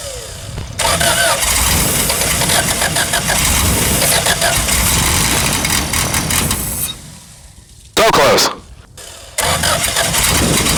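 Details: Revmaster air-cooled VW engine on a Sonex aircraft, started after sitting a few weeks with fuel and spark checked and the battery charged; it catches and settles into a loud, even run, briefly dips then picks up. A healthy start.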